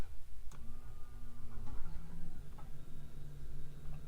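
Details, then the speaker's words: Newly installed primary pump of a dual fuel pump setup (525 lph vs 450 lph) on the factory tank with methanol kit, first power-on: a click at switch-on, then a quiet steady low hum, no stutter or whine; pump working normally. "Sounds like it's working. Let's check. Sweet. Looks like it's working, guys."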